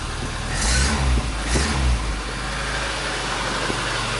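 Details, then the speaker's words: 1999 VAZ 2109 (21099), about 200,000 km, engine rebuilt at 170,000, after refitting and tightening the alternator for a whistle and sparking complaint: two throttle blips then steady idle with no whistle; alternator now quiet, fault likely a poor ground contact. "вроде свистеть не свистит но и дитя посмотрим на истры из картона нету то сейчас проверим заряд"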